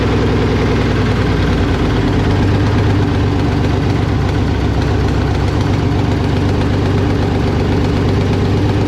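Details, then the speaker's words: BMW E36 with a hundred-some-thousand-mile engine at first start, no exhaust system fitted: a deep, booming, unmuffled idle that stays loud the whole time. Sounds like a big block; an exhaust is needed. "i mean it literally sounds like a freaking big block like it is it is ungodly loud so we gotta figure something out about an exhaust which is going to entail a lot of work"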